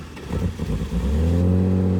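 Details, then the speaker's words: Ute bought for Shitbox Rally, starting up: rumbles a little at first, then settles into a steady, slightly high idle with a deep rumble; noise from a tear in the muffler, exhaust leak. "So she does sort of rumble a little bit at the start, but then purrs quite nicely. There is a muffler tear in the muffler, holding the muffler, so that's why you can hear that noise."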